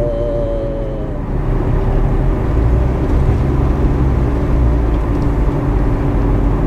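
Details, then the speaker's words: Front wheel bearing suspected on a car whose noise changes with road speed and is heard when letting off the gas: a low, steady droning hum under road noise while driving. "this particular car has an issue like that and there's a noise coming from the front and I suspect the wheel bearing so listen to the noise and that's it right there"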